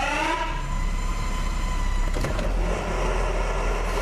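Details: 2013 Jeep Wrangler Unlimited 3.6 with NAG1 (722.6) automatic, 4WD, shifted reverse-neutral-drive: heavy low rumble with a whine dropping in pitch after shifting; noise in drive and reverse from a stripped pump stator where it fits the converter.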